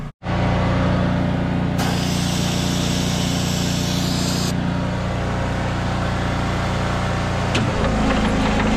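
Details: Abandoned Kenworth C500 off-highway mine truck diesel restarting after being primed and started on ether; settles into a steady even rumble with no misses or knocks, fired right up, no air pressure yet.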